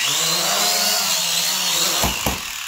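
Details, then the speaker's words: Eachine E520S quadcopter, paired to controller and phone over wifi, on one-button auto take-off: buzzing motors spool up, then two sharp thumps and the whine fades. It fails to lift off and stabilize, cause unknown (stability, sensors or other). "again went down so i think we get the point that it's not able to launch and stabilize even if i try to control it"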